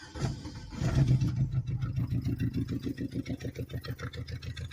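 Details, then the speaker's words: Coil-pack test on a misfiring four-cylinder (one coil pack fires two plugs): pulling a plug wire kills it, so the coil makes spark; after restart the idle thumps three to four times a second, lumpy and uneven, one cylinder dead. "if it's a bad coil I shouldn't have much spark coming out oh yeah see it killed it see so that coil is putting out Spark"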